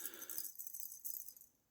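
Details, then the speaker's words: Ruston Hornsby PB engine brass float after leak repair by soldering: light, bright rattle of a small piece of solder loose inside the hollow float as it is shaken; no more bubbles in the water test. "Yep, and you can just hear that bit of solder rattling, so it's not as if"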